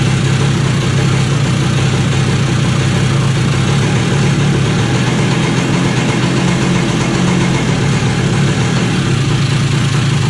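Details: 2001 Kawasaki KE100 two-stroke, cold start after carburetor rebuild with new needle, little choke: fast busy idle, steady without stumbles, climbing higher as it warms; no tachometer. Runs fine at idle, though hesitation at 0-35% throttle under load remains.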